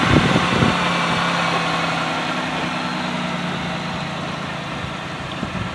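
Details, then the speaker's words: 2005 Pontiac Bonneville 3.8 after a head swap to 2006 Grand Prix (Series III, bigger valve) heads with new gaskets and new elbows: a steady, even idle with a constant low hum and no knocks or ticks. The engine sounds healthy. "running so nice and smooth got some brand new pull elbows on there"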